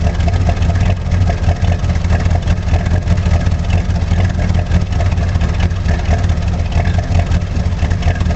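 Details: 1985 Chevrolet Monte Carlo SS V8 cold start, car sat 14 years, burns oil (valve stem seals), electric choke broken: deep heavy idle with a faint steady low knock; owner suspects rod knock but isn't sure.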